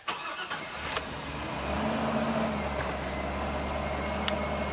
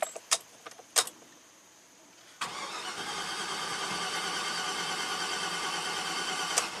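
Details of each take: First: 2009 Chevy Silverado 3500HD, 421,000 miles, normal start after clearing a flood with the spark plug reinstalled and codes cleared: brief crank, then the V8 catches and settles into a smooth, even idle with no misfire. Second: 2009 Chevy Silverado 3500HD at 421,000 miles that stalled, cranked for about four seconds; cam and crank both spin. Quick, even cranking that never catches, sounding abnormal with no compression, a low-compression no-start; a jumped timing chain was initially suspected.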